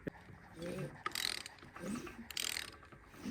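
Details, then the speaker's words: Holden VK Berlina engine turned over slowly by hand: irregular metallic clanks and ratchety knocks, something loose hitting in the bottom end; the oil pickup was found not fitted, timing gear ruled out, cause not confirmed. "When I was turning it over in the car, I could hear it clanking when it was on like number 2."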